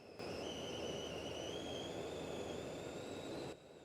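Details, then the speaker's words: Mazda Tribute radiator cooling fan hunting on and off with ignition on: thin pulse-width modulator squeal slowly rising over a struggling fan as the motor slows; scan shows cooling fan control circuit malfunction code. "before you could hear the squeal of the pulsewidth modulator signal as it was trying to turn the motor hear"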